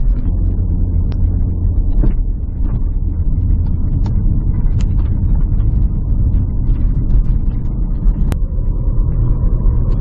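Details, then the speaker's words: 2009 Porsche Cayenne Turbo S V8, 168,000 miles, driving in Drive at almost 50 mph: steady heavy engine drone holds one pitch as speed builds with no upshift; transmission appears stuck in third gear, cause not confirmed. "Yeah, I do believe we are stuck in third gear at this point. You can see we're doing almost 50 miles an hour and it is not giving us a shift."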